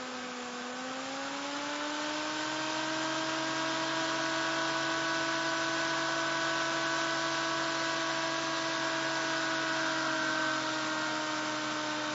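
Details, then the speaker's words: SSG Imhotep fan motor circuit driven by a Darlington pair (TIP142) and TIP31 transistors, magnet added to the motor; steady whine climbing in pitch then holding with faint buzz as the circuit self-oscillates while charging rises. "it sounds like it went into self-oscillation it slowed down a little bit but still went into self-oscillation and started to beat the band there for a few seconds"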